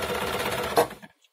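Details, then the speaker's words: Janome sewing machine, brought in as not working, after lubricating and dissolving dried old grease: brief even whirring run with steady fast stitch rhythm, no binding or grinding, then stops; now runs normally. "người mang nó nói rằng không hoạt động bây giờ mọi thứ hoạt động"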